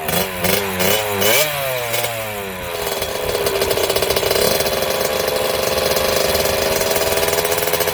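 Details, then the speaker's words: 1987 Kawasaki KX80 two-stroke, not run in years, first start after stator coil replacement with timing set and flywheel torqued; catches after four or five kicks with rising revs, then settles into a fast, crackly, steady idle with no knocks or misfires: normal idle. "here okay finally got the KX80 running there took uh four or five kicks"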